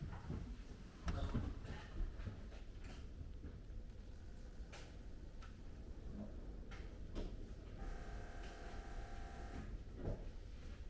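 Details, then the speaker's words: BMW E36 drift car with a newly installed M50TU engine, new big turbo and S52 head, not yet retuned, first start: a low, steady rumble settling into an even idle with no knocks, misses or rattles; normal idle, sounds healthy. "she's alive big spoolie boy sounds healthy very very healthy"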